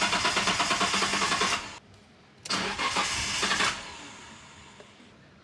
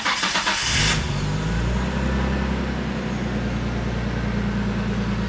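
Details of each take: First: R33 Skyline with the fuel pump connectors unplugged to relieve fuel pressure before a pump install: two bursts of even, rapid cranking that never fire, then silence; the engine turns over but has no fuel pressure. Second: R33 Skyline after a DeatschWerks fuel pump install: a brief pump whir as it primes, then the engine catches quickly and settles into a smooth, even idle with no misses or knocks.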